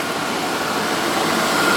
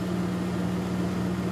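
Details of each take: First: 2001 Dodge Dakota 4.7L, 130,638 miles, after cleaning the idle air control valve (it previously ran and died): steady smooth idle with AC on and a faint whistle. RPM is still slightly above the normal 600–700. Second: 2001 Dodge Dakota 4.7L V8, 130,638 miles, after cleaning the idle air control valve: steady smooth idle, AC off, running a bit higher than the normal 600–700 rpm; previously it would run and die.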